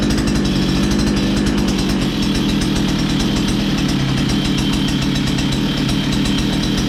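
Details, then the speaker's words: 2-stroke strimmer after priming, choke on, throttle stiff and sticky; rapid buzzy beat at fairly steady speed with slightly rich, rough edge; running on choke; kill switch later found faulty. "That throttle's a bit stiff and sticky, but we might just have Oh, yeah. Put the choke on."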